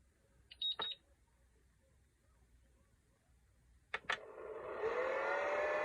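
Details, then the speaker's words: LiPo charger charging a 6S pack: a couple of short beeps, then a whir spins up to a steady loud hum like a mixer, louder than a charger should be; cause unknown, and the meter also gives inconsistent readings while charging. "you know this thing sounds like a mix master like I'm in here getting ready to make cake batter"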